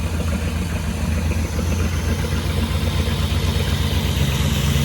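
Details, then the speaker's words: Petrol engine running rough at raised idle: low uneven chug with misfire; vacuum only 16 inches instead of 18-20, dropping to 0 on snap throttle. "But I am not happy with that vacuum, okay? That should be at 18 inches. You can hear the misfire."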